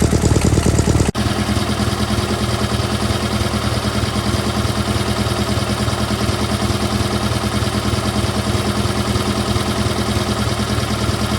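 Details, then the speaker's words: GT/18 twin after ignition rebuild, no choke, low idle: short catch then steady chug about three beats a second, slightly uneven; charging system working, carburetor still needs tuning. "Charging system's working. There we go. Now she just needs a carburetor tune and she'll be good to go. Runs a lot better than it did, I think."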